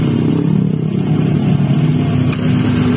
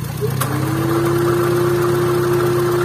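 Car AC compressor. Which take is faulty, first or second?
second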